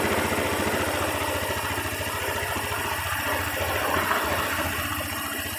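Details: 2013 Honda Beat FI scooter, its lost-ignition fault traced to the ECU, fuel pressure normal above 10: a small single cylinder ticking over at a steady, even three to four beats a second. Smooth, normal idle.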